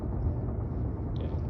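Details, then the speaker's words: xAI gas turbine plant, Southaven MS, recorded Dec 31 5:30pm from a backyard roughly 3,000 ft away: nonstop steady low drone like a heavy fan or hovering plane, no rhythm or pitch change, no high-pitched noise; normal running. "However, this other noise sounds just like a heavy fan or plane hovering that's nonstop. I was hearing it all through my, all last"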